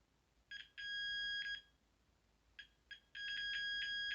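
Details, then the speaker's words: After repairing the gas valve on a Carrier Weathermaker gas furnace, the continuity beep stutters briefly then holds clean over a second without pressure on the joint; the repaired joint conducts solidly. "When I leave it on there, it produces a nice even sound, but I'm trying not to push on it, so therefore, seeing that, I've repaired the damage."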